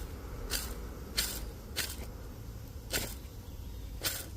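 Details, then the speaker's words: Chevrolet Celta clutch release bearing, removed with the gearbox out, spun by hand, giving short gritty rasps; it causes a hiss and growl when the clutch pedal is pressed and was replaced with a new clutch disc and pressure plate. "É ele que faz barulho quando a gente pisa na embreagem e faz um chiado, um ronco. É essa peça aqui que faz barulho, ó."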